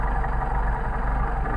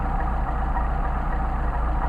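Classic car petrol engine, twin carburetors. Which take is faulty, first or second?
second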